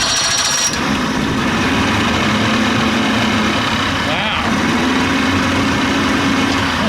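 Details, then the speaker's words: Old outboard with a past stalling and bogging problem, just after a new fuel pump was fitted. It starts quickly with the primer held in, in just two pops, better than it has in a long time, and settles into a steady, even buzzing idle with no stumbles or bogging. "wow it hasn't started up like that in a long time what's going on incredible just hold the primer in just two pops"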